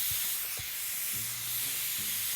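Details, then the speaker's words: Daystate PCP air rifle, gauge cracked one to two turns with a socket to bleed down before air bottle removal: steady high-pitched hiss of high-pressure air escaping with faint handling thumps; normal bleed-down. "you crack the gauge to bleed the rifle, make sure that you don't turn more than 1 or 2 turns. Whenever you hear the air escaping from the gauge, stop, let it bleed out."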